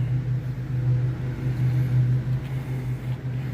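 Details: 1986 Camaro V8 idling after the timing was set by ear, with the fuel line still being routed; deep, even rumble holding a steady idle with no misses or knocks; the timing sounds about right.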